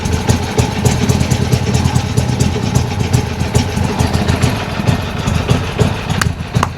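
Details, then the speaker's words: Old Harley Sportster Ironhead V-twin, first run after carb fiddling, throttle cable loose: lumpy, loping idle with steady uneven pulses and a few throttle blips; keeps running and sounds healthy. "Man, sounds good, sounds good."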